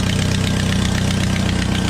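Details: Jeep Wrangler 2.5 just after fan clutch replacement; the old clutch was weak enough to stop the fan by hand. Steady, even low idle with a smooth pulse and no fan rattle or slipping; running normally.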